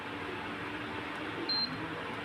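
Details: Prestige induction cooktop after repairing a no-display fault (it beeped on power-up but wouldn't turn on): one short, clean high-pitched beep on a button press over a steady fan hum, normal operation with all buttons working.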